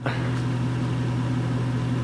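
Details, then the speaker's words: Subaru after adjusting the clutch slave cylinder forward on the clutch fork to cure a squeaky throw-out bearing: a steady engine idle with a firm low hum and no squeak or chirp; the release bearing now sounds normal. "it's okay no more throughout bearing noise it was a pretty easy process and with it you can get rid pretty quickly of that annoying squeaky sound"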